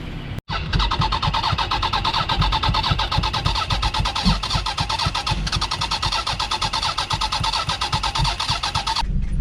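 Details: Abandoned Toyota Sienna, rain-exposed engine reassembled, cooling plumbing not yet connected, on jump start: cranks briefly, catches and settles into a steady even run with regular firing beat; engine turns freely and runs.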